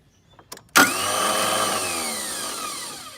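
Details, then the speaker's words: Toro TimeCutter zero-turn mower with a failing starter: a few faint clicks, then a high whirring spin that winds down while the engine never catches. It takes many tries to start, and wiggling something slightly sometimes helps. "hear it spin and sometimes and i'm not sure if it really helps but sometimes if you like slightly move this move now even just a little bit it does help and i can get it to start um in this case it's not completely bad but it does take quite a few tries"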